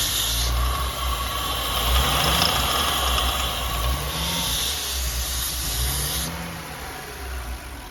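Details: Audi B9 S4 with 48k miles, idling after rocker arm replacement: even, steady idle with a smooth low pulse and faint high hiss, no top-end ticking or tapping; engine sounds healthy.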